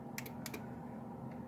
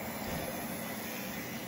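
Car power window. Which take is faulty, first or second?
first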